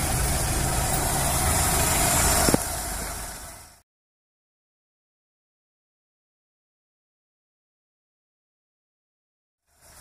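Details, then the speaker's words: Kancil 850 manual, carbureted, idling at set 1000 rpm before distributor timing-light check, vacuum lines disconnected; even steady rumble, smooth and settled; normal idle. "Okey, bila kita dah start enjin, pastikan RPM kita berada di 1000. Okey, pastikan RPM kita berada di 1000. Sekarang macam sekarang ni dah 1000, dah cantik dah tu."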